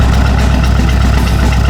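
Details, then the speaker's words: Chevy LUV truck with newly added turbo, carburetor modified for more fuel under boost after excess fuel pressure and stuck-closed choke fixed, tuned slightly rich: steady, even low rumble with no misses or knocks; running good now. "runs I'm feeling better than I ever have about this yeah it's running good now"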